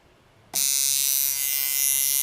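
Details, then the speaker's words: American-made coil tattoo machine, shader, running on very low voltage with rubber damper between screw and strap, steady high-pitched electric buzz starting half a second in without stutter; normal running, said to sound better than ordinary machines. "इस मशीन की एक अलग आवाज है क्योंकि यह एक अमेरिकी मशीन है, जो यह सामान्य लोगों से बेहतर है।"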